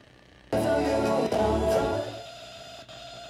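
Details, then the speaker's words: Mounted studio monitors (speakers) on a computer burst into a loud buzzy, whistling whine, then settle to a steady high-pitched hum just from computer activity, even at zero volume; cause not confirmed. "i didn't even have to start the game i just kind of had to start doing stuff on the computer and it's making this noise"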